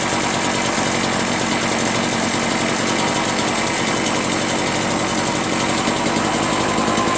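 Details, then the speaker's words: Curb-found Echo PB-403T two-stroke backpack leaf blower after carburetor cleaning and magneto reinstall, kill wire disconnected: harsh, high-revving buzz holding steady, no sputter or dropout; running, though owner still plans a new carburetor. "How about it? Got it started. Well, now all I need is a new carburetor, right?"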